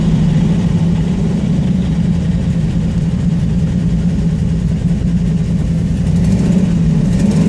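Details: Steady, deep idle with a slightly raw, puffing edge in the exhaust note; exhaust leak, though owner says it still performs well.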